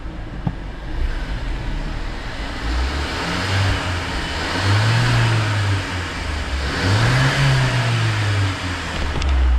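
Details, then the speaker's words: Mercedes GLA 200, bled after running low on oil, run until hot: two clean rev-ups that rise and settle smoothly, no rough bearings or hydraulic lifter rattle; normal revving. "so all you can hear now is just engine so that's all you can hear now is the engine revving no rough bearings No rough uh hydraulic lifters"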